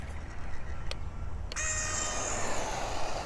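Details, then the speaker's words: Tamiya Durga DB01 RC car on its second run: a high, thin whine rises at launch as the slipper clutch slips excessively, before it is tightened, probably about 3/4 turn. It should stop slipping after about half a meter to a meter. "so as I said just listen to the slipper clutch noise try bring across the camera and then you can hear it so that's slipping do it once more so you can hear it"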